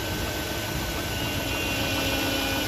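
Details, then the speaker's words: 2007–2014 Chevy 5.3L V8 truck idling after serpentine and accessory belt replacement, hood open: steady idle with faint constant high tone, no squeal or chirp; earlier whine and light hiss reduced, normal idle. "I think it's less whiny, it's just the sound of the engine."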